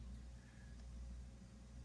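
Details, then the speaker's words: Zenith console MH2675 amplifier under restoration: faint steady low hum in the left channel, possibly 120 Hz rather than 60-cycle, separate from the snap-crackle popping heard earlier in both speakers; mains hum. "i am getting a little bit of you can just hear a little bit of um i don't think it's 60 cycle it could be i guess almost sounds like 120 in the left channel"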